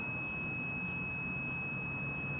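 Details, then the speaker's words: Digital multimeter continuity test on soldered wiring, ground lead to black cable, about 10 degrees in Ontario: unbroken high-pitched steady beep, resistance around 0.5 ohm; good low-resistance ground connection. "that's telling me now that's the resistance summer around zero point 0.5 uh so afternoon which is really good there's not much resistance there"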